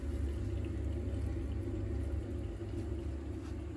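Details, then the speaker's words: Boiler refilled to about 1 bar with central heating on: a steady low rumble with a soft watery whoosh and the pump audibly spinning, firing cleanly with no kettling. "so pop the central heating on you can hear the pump spinning we'll let that boiler fire up it should sound a lot better than it did when I first got here"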